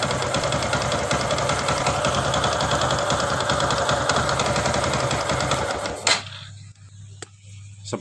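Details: Honda Supra X 125 (KJZ engine) that ran out of oil, after a rebore and new piston stopped the smoking: at idle a rapid, hard knock on every turn until shut-off. A worn connecting rod is suspected, and the engine is about to be torn down.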